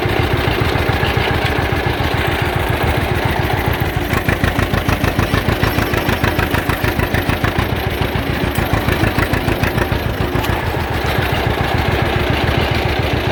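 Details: John Deere Model A two-cylinder tractor towing a loaded trailer on the road after charging system repair, with oil pressure good, still charging and temperature not rising. Slow, even chug at about two beats a second, steady under load with no knocks or misses; normal, healthy running.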